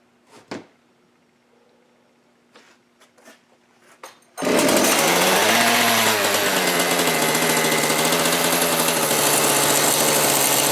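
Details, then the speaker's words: Old chainsaw fires and revs with a brisk buzzing beat, then runs only briefly and shuts off; the area behind the carburetor looks suspicious, pointing to a massive air leak behind the carb. "I can see the area behind the caror that looks a little suspicious let me see if I can get to the fire again okay we found our massive air leak now we got to figure out what it is"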